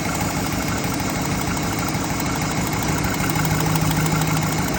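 Steady idle with an uneven tapping, about three per second, riding over the engine; the tick is there but the source is unclear.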